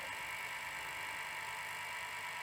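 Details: Sony SL700ME multi-format Betamax VCR (711B3-type deck), long unused, during playback: loud, steady high-pitched whirring rush that never lets up; badly worn head drum bearings make it very noisy.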